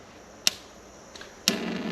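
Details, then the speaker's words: Jotul GF 160 gas stove after replacing the corroded pilot assembly (225681) that gave no ignition: two sharp igniter clicks, steady gas hiss, pilot lights with a clean blue flame, then the main burner ignites normally. "there we go that already looks a lot nicer than before nice clean blue flame and it is blowing onto the sensor and there goes the main burner so that was that's functioning much better than before"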